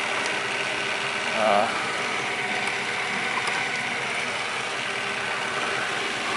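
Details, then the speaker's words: Miele RX1 Scout robot vacuum after replacing the board and brush motor for an F4 error (owner suspects the clock battery), test run on the floor with a new squeegee: steady even whir with light brush ticking, no grinding; functioning normally. "Alright, seems to be functioning."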